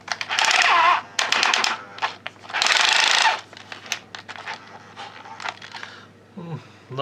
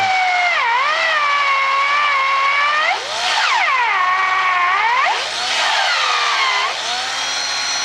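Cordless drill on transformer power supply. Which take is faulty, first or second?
first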